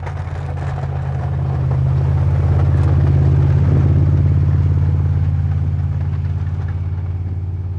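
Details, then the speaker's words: 2002 Chevrolet Silverado 2500HD after new front driveshaft U-joints, driven hard under load; steady deep engine drone, no squeak or chirp; previous front driveshaft squeak gone, driveline smooth and quiet. "So it seems to be working good. I don't hear the noise. I'm pushing it pretty hard and I haven't heard the noise."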